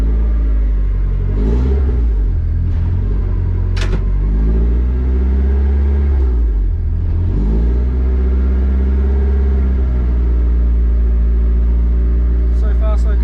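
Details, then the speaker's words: Nissan S14 with SR20 engine, driven after gearbox repair: engine pulls smoothly up through the gears with clean revs and no gear whine or grinding; the earlier gearbox noises are gone. "righto guys I'm gonna wrap this mark there we got there in the end it took longer than expected typical but we've got rid of the noises and stuff"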